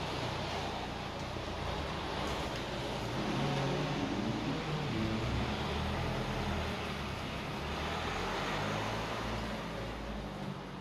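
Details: BMW E87 120d, N47 diesel, after lower timing chain replacement with engine removal: smooth, steady idle with an even beat and no rattle or slap from the chain end; healthy.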